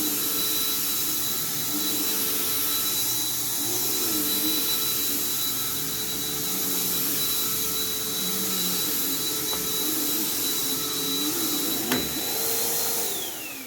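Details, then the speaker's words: Lightweight, high-pitched vacuum: steady high motor whine with no brush-roll thrum, then it winds down; the belt stretched out while the machine sat and is slipping with no burning smell, and the brush stopped; a new belt should fix it. "okay so it appears that in the time that this is set that belt has completely stretched out because that just completely stopped so yeah and you can tell it's stretched because it stopped yet there's no burning smell because it just it's just slipping"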